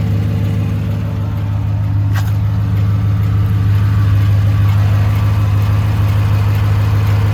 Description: 2018 silverado 1500 5.3 v8 ticking sound. Lifters? AFM Cam?